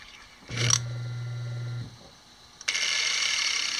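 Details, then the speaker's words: Piano motor, reassembled after armature removal, power applied: steady low hum starts instantly and runs evenly without failures; normal running. "got power to it and we're going to plug it in and see what we have instant start and again no failures"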